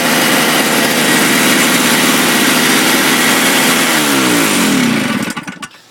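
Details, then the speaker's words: Toro 20 two-stroke snowthrower saved from the landfill, heavily primed: buzzes hard for about five seconds, then falters and sputters to a stop; runs on prime but not on normal, so the owner keeps the choke on. "she runs on Prime doesn't run on normal so I'll keep the choke back on"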